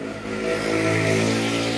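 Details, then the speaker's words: Advance Digital K1500 active speaker: a steady low drone with buzzy overtones from the speaker when the wireless mic board is connected, with the 8 V VCC checked next. "Oke, akan terdengar suara ngebrum ya, bisa terdengar."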